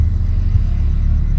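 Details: 2012 Audi Q7 idling in drive after an oil service: a deep, even hum with no misses or shudder and no steering wheel shake, where slight shake was felt before the oil change. The engine idles smoothly.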